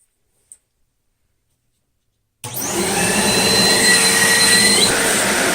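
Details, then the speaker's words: Riccar 8850 motor removed from the machine after repacking the front and rear bearings (previously a suddenly bad bearing), brushes off, run backwards via adapter with RPM slowly ramped; after a silent start it whirs up smoothly, pitch climbing evenly without rumble or grind, bearings healthy. "I'm going to run this thing backwards and see how it sounds first and I'm going to slowly ramp up the RPM and if everything sounds good then I'll go ahead and put the polishing stone on"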